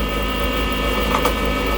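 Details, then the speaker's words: Lathe turning a handmade duck call blank, tool held on top to check roundness: steady motor hum with brief rattling chatter as the tool bounces on high spots; blank not yet rounded, more rounding needed. "how it bounces so you can hear that chatter those are spots that aren't rounded off so it means i still gotta continue grounding"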